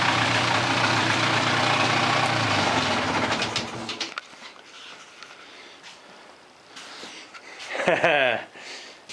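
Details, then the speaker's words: Revived mid-90s Polaris ATV two-stroke on a test ride: crisp, hard revving then easing off, even and clean with no knocks or grinding; engine, transmission and driveline sound good, normal running under load, with a coolant issue still pending. "Yeah, she rips, buddy. Engine sounds good. Transmission sounds good."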